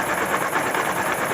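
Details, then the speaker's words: Honda Pop 110i single idling with a dry, rhythmic chewing knock, as if running without oil or something grinding inside. Connecting rod knock; the bike came from another workshop. "Barulho seco, como se estivesse rodando sem óleo. Como se fosse alguma coisa se roendo, se mastigando dentro."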